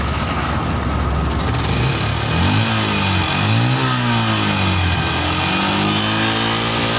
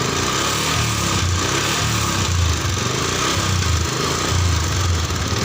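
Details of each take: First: Yamaha Jupiter MX New 135, carburettor serviced after 6 years unserviced to cure hesitation on throttle: single-cylinder revs rise and fall cleanly through several blips, no stumble, road-tested to 80 km/h; hesitation fixed, though engine smokes blue. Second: Yamaha Jupiter MX New 135 with a vacuum carburetor, unserviced for about 6 years, owner reports white smoke: idle smooth, but under throttle the engine wavers and stutters (brebet); carburetor cleaning and spark plug replacement planned.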